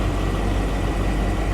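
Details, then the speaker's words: Salvage-auction car at idle as the temperature starts to warm up, after sitting a very long time: a smooth, even rumble with no knocks. Runs very well, with cold A/C; the rear suspension isn't leveling and moisture comes from the tailpipe. "temperatures starting to warm up it really does run very well"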